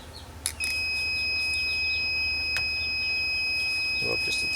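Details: Tormach PCNC440 tool changer low-pressure switch, drifting set point being readjusted: short click, then continuous multimeter continuity beep; switch closed sensing low pressure, earlier about 65 psi, opening about 70 psi, before raising the set point.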